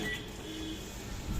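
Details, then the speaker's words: Microwave oven after cleaning dusty fan blade and oiling fan motor bearing: runs with only a low steady hum, no squeal or rattle; fan previously squealed loudly. "अभी आप देखने बिल्कुल silently है कोई sound नहीं है कोई आवाज नहीं है अभी"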